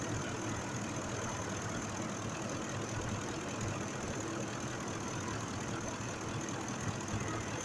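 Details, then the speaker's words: 2005 Ford F-150 5.4 V8 idling after repair of a cylinder 2 misfire, which proved mechanical rather than electrical: steady, even idle with a smooth rumble and no stumble. Engine now running normally. "el problema era mecánico no era la parte eléctrico era mecánico el problema está trabajando bien"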